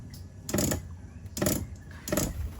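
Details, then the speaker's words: Caravan water pump feeding a dishwasher that draws little water while heating, before accumulator tank install: pump buzzes in short on/off bursts about every 0.8 seconds; short cycling. "it's trying to heat it up at the same time so which is making this pump pulsate so when we install this that'll quit"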